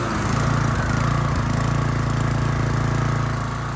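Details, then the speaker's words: Toro TimeCutter 30-inch walk-behind mower after a blade/PTO belt swap, which fixed blades not engaging. Running with blades engaged: a steady, even four-per-second beat with no slipping, squealing or knocking, engages easily: normal blades-engaged running. "That looks pretty good to me. That looks pretty good to me, guys. And nothing's caught. It's not too hard to engage."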